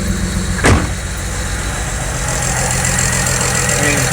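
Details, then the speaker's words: BMW 335i at idle with one injector deliberately unplugged during diagnosis of excessive injector ticking traced to number 6: lumpy, uneven stumbling idle under light injector ticking; misfire, running on five cylinders. "bear in mind it's a going to run my key key remember it's going to run bad so just take a listen though so it's running on six or five cylinders right"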